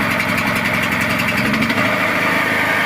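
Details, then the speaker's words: Small petrol generator on a cold day, running at a steady, even idle with a constant buzzing hum once the choke was opened, after running rough with it closed; normal idle. "Ось я відкрив заслоночку і він почав працювати на своїх звичайних режимах"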